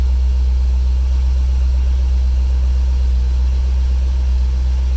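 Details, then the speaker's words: 2004 Corvette C5 Z06 commemorative edition V8, started after 16 months in storage on possibly stale fuel: deep, smooth, even idle with steady low rumble, no misses or ticks; healthy idle. "of a beyotch if that doesn't just seem like I drove it yesterday and put it away it sounds like a champ woohoo good good"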